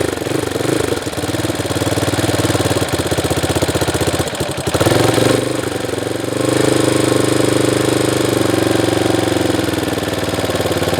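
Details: Honda CRF230F carbureted dirt bike that sat a year on pump gas without stabilizer, started on choke and fuel reserve. The single cylinder catches and settles into a lumpy but steady putter of about three beats a second.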